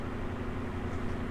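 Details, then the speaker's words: Cheap fan whose nearly seized, rattling bushing motor was re-lubricated with oil, after repair: smooth even quiet low hum, no rattle or scraping; fan runs normally. "So let's see if the proof is in the pudding. I have it plugged in. Beautiful. Quiet."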